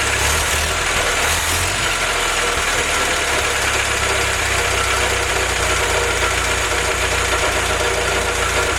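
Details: Willys F-head (snow blower jeep engine), first run on newly installed Weber carb replacing troublesome Carter YF, 180 thermostat: even smooth rumble with light valvetrain clatter, no misses or surging; normal idle.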